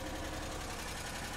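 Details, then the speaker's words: Pontiac Grand Am after aftermarket remote start/alarm removal: steady fast light tick over an even idle; engine now runs after a yellow wire that wasn't making good contact was re-bent, owner plans to solder or crimp it. "hey guys i got it you can hear the awful tick it's running that's yellow wire wasn't touching good enough"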